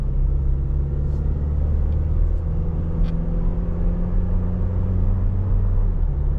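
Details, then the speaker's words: 2023 Toyota Tacoma SR 4x4 with the four-cylinder engine at 1,801 miles, driven in the dark. A smooth, steady low engine hum sits under road rumble while cruising, with no knocks or whines. The truck is relatively quiet and the engine sounds healthy. "really once uh it hits like when you got the crew set once it's that I mean the truck's relatively quiet so there's not much left to listen to"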